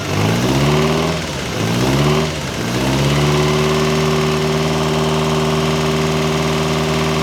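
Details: Ferrari 308 GTS fully rebuilt V8 after first start in about four years, warming the heads to heat the head gaskets: quick blips then smooth, even idle, no knocks. Normal warm-up idle.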